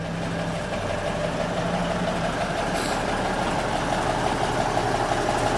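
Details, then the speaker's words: 1985 Peterbilt 379 day cab with big-cam Cummins diesel, 10-speed, overhauled within the last two years, pre-emissions: steady, even idle with a low smooth beat and no misses or knocks; doesn't smoke, no oil leaks, engine healthy. "It's running right now. She doesn't smoke."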